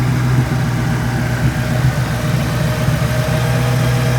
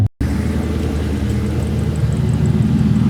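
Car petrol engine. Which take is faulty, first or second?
second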